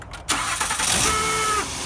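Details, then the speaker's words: Honda engine start: harsh buzzing whir with steady high-pitched tone over cranking before it catches; faulty starter, located on transmission behind dipstick, to be replaced. "Alright, so that noise is the starter."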